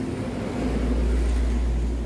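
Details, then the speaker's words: Customer's Honda Scoopy injection (donut-tyre model) rear wheel spun on stand as a healthy comparison: low steady smooth hum, smoother than a Beat ESP, with no grinding or droning; normal final drive gearbox. "Ini juga suaranya sangat halus, lebih bagus ini lagi, jadi ini lebih halus lagi suaranya daripada yang beat ESP tadi."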